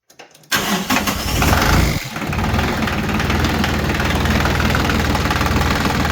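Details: Diesel tractor started after fuel filter assembly and shutoff valve replacement and bleeding (prior fuel gelling and no-start): a brief crank, then it catches at once into an even, steady idle with no misses; a healthy start.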